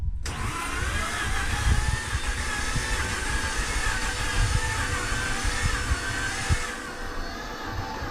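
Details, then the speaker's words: 2005 Mazda RX8 after radiator replacement, on a half-dead jump pack: uneven cranking whir with irregular low thumps that stutters trying to fire but never catches; owner blames insufficient battery. "it's trying you hear it stuttering yeah"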